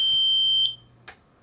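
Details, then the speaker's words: Audi instrument cluster (2000–2006 TT / A4 / A6 / Allroad type) bench-tested on a harness after replacing the MFA LCD screen. Loud, shrill, high-pitched buzz for about half a second, then a short blip; the warning buzzer works normally. "So we'll basically turn it on, verify that the screen works, and turn it off quick because the buzzer is very loud."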